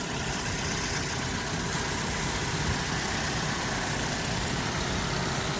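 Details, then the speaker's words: 2013 Mazda 3, 2-litre four-cylinder, 102,607 km, idling during a pre-purchase inspection; steady even hum with no knocks, ticks or misses, running smoothly as it should. "There's the 2-liter 4-cylinder. Running just as it should."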